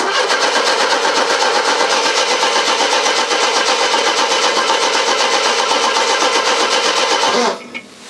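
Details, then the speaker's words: Mercedes W123, nearly a quarter tank of petrol: even starter cranking at about four turns a second that never catches; crank no start, fuel pump not heard priming, suspected fuel pump or relay fault, not confirmed. "I cannot hear the fuel pump priming"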